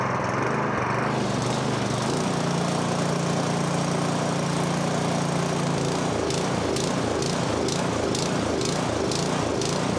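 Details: MTD snowblower, 2–3 years old with about an hour of runtime, won't-start case, started by cord at half throttle with choke: steady briefly, then hunting and sputtering; suspected fuel starvation from low fuel or a plugged pilot jet.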